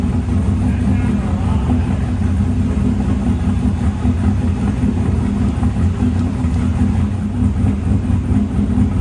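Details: Snowcat with new Texas Speed 408 LS V8 swap, first start, no exhaust work done yet, transmission not fitted: deep, steady rumble holding even idle, no knocks or misses; normal running.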